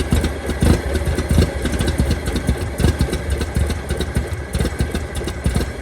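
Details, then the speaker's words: 1923 Franklin Model 10, sat at least 76 years, first run: low loping idle with uneven thumps and skipped beats, running poorly and missing; some smoke from engine stop leak in cylinders; owner suspects losing spark, snapping lower than it should. "I think it's just running crappy it's running crappy it's running cracking that's a problem"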